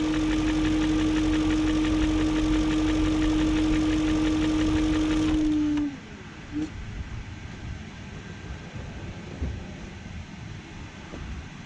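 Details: 2001 BMW E38 740i Sport idling until shutdown: fast even light tick remains after second timing job (new chain, guides, tensioner, VANOS profile gaskets); no codes, no smoke; owner suspects VANOS unit has failed, not confirmed.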